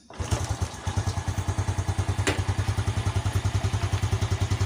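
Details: Yamaha Jupiter Z1 with battery removed, kick-started, running on a Satria FU regulator; small single chugging at an even idle, about ten beats a second, no misses; normal idle.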